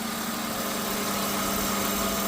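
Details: BMW E36 328i at idle: steady thin whine of unchanging pitch from the power steering pump; cause unknown, owner asks whether it is normal, louder inside the car.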